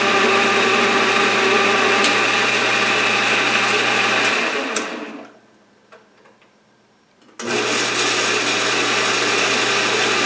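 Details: Atlas horizontal milling machine reassembled after two years apart in a shed, with gib adjusted, rewired, belts refitted and oiled. Steady motor hum and belt whir, spins down and restarts; runs smoothly. A few rattles and shakes remain to fix.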